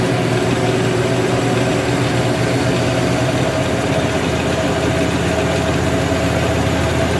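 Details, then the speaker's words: LG WM2801HWA direct-drive washer after replacing the rotor position sensor: steady, even hum with no knocking, scraping or rubbing; motor running smoothly and healthy, normal running. "I'm gonna go ahead and start it up and we'll watch it run and see that it runs without any issues"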